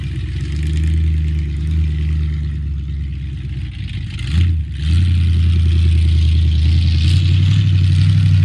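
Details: 1976 Ford Highboy truck V8 on first test drive after engine reinstall, idle untuned: pulls steadily, then dips and hesitates near four seconds before picking up; off-idle stumble from carburetor transfer slots opened too far, later fixed.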